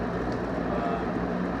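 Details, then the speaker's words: GE 5-wing box fan after motor service and new switch, reassembled, forward on high: smooth even whoosh of air, no rattle, scrape or wobble; normal running. "But it's back together anyway. And so there she is on high."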